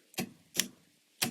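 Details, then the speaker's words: Ambulance-to-RV homemade relay circuit board: three sharp dry uneven clicks with nothing running, relay chattering rather than holding; suspected bad relay or bad solder joint, unconfirmed. "that's not good that sounds like a bad relay or a bad uh joint"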